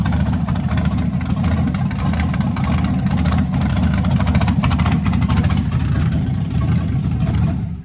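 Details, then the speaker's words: 1992 Chevy S10 with LS V8 swap, first start with makeshift exhaust, oil pressure sensor suspected faulty: rough but even lopey rumble, no knocking or ticking; normal idle. "now i know where to run i know it ain't knocking or anything like that and they ain't doing nothing crazy"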